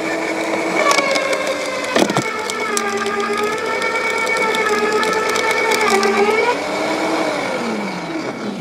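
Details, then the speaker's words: LawnMaster 2800W quiet electric garden shredder, self-feeding pulling a branch down: steady motor whine, a brief crunch as the branch bites, then an even drone while it feeds through. Normal, clean branch shredding. "okay so so impressive this self-feeding feature it just takes the branch down and cuts it really nicely"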